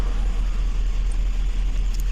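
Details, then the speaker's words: 2007 GMC Yukon XL V8: deep lumpy idle with uneven stumbling pulses, misfires on cylinders 1, 3, 5, 7 from a broken wiring feed to that bank. "यह गाड़ी है योकन axle missing कर रहा है गाड़ी आप देख सकते हैं"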